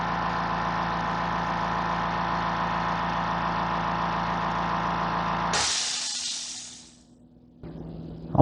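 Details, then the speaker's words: Fortress 2-gallon ultra quiet air compressor filling its tank in 45 seconds. An even, steady motor hum, then shutoff with a short air hiss; very quiet and healthy. "It took 45 seconds, and you could hear it was very quiet. This is a compressor you could run 10 o'clock at night and not wake up the neighbor's kids with the garage door open."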